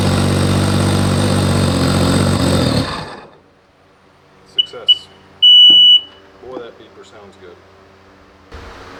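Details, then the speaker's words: Jet boat two-stroke first start after build with fresh gas: rough, buzzy engine runs strongly about three seconds then cuts out, followed by sharp gauge beeps; fired first try. "uh it fired right up that was actually the first try"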